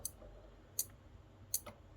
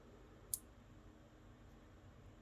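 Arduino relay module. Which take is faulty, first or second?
first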